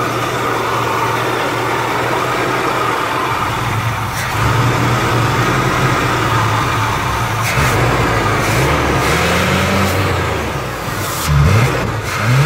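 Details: Malibu Classic, first start in ten years: idles evenly for several seconds, then revs up and drops back cleanly a few times with smooth pitch changes; runs healthy.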